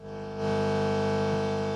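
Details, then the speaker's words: Homemade valve regenerative radio with no stations received, only a constant low buzz: 50 Hz mains hum, as in England. "that may sound a bit weird to some of you living outside of England who live in 60 HZ regions well here the AC sounds"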